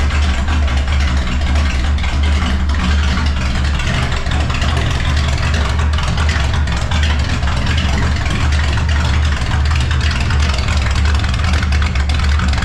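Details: Vehicle started after sitting about one to two months, open pipes with no mufflers: loud, deep rumble that stays steady and even with no stumbles; idles fine, just loud; normal idle.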